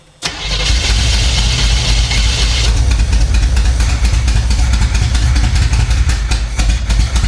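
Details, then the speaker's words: 1975 Chevy Monza 2+2 with 350 small-block V8 swap, sat about 20 years: catches after short crank into lumpy, uneven, stumbling idle, seemingly running on only 4 cylinders; still untuned. "Seems like it's running on 4. All right, let me get this put back on, and then we'll fiddle fart with to get it running right, tuned right."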